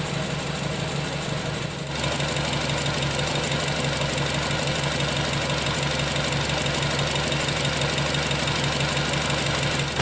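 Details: Nissan Tiida engine at idle: it stumbles with an uneven beat, roughly three pulses a second that don't land evenly; a misfire.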